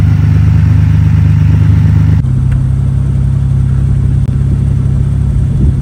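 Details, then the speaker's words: 1998 Ferrari 456 GTA naturally aspirated, recently out of long storage, catches and settles into a steady low drone with a persistent buzz over it; owner says it makes a lot of buzzing sounds, source unclear. "Now this car unfortunately will make a lot of buzzing sounds. It's kind of irritating, but I'll start it up."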